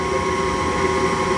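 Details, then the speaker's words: Furnace that lit then went out, after cleaning and reinstalling the flame sensor: steady, even blower rush with a smooth low hum, no rattles, clicks or surging, and the flame stays lit; normal furnace running. "there we go so far so good it's not going out so problem solved very simple"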